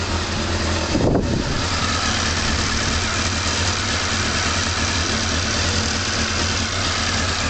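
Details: Honda CB-1 motorcycle idling after standing cold a few hours (cut out on a throttle touch): steady idle with busy light tappety ticking over the exhaust, faint unevenness; cause not pinned down, pulls smooth through the revs.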